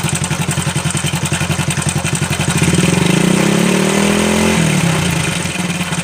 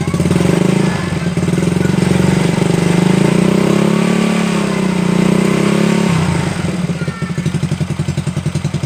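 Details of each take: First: Honda Supra Fit New at idle: rapid clattery ticking about four per second, rising with a brief rev, then settling. Abnormal noise inside the engine, cause unclear. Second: Honda Supra Fit motorcycle after repair of cam chain (rantai keteng) and damaged chain guide, previously klatak rattle: clean rev rising and falling smoothly, then steady even idle with no clatter; normal idle and revving.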